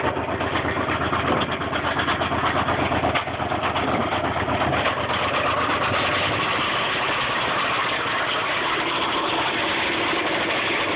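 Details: 1995 Subaru Impreza at idle, knock persisting after oil change and additives: faint, uneven tapping about three a second through steady idle; owner calls it rod knock, bottom-end source not confirmed.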